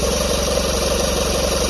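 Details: Old Mercury 80 hp inline-four outboard after fitting a newer enrichener valve pumping fuel into the crankcase to fix hard starting from non-closing choke butterflies; steady, even drone, smooth idle, no knocks or misses; running cleanly.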